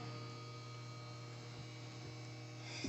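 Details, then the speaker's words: Newly installed Frigidaire 30-inch induction cooktop, pot at full boil: steady low electrical hum with faint zapping/fizzing from the water; normal induction cooktop hum. "that little zapping sound that you're hearing that's the sound of the water underneath here"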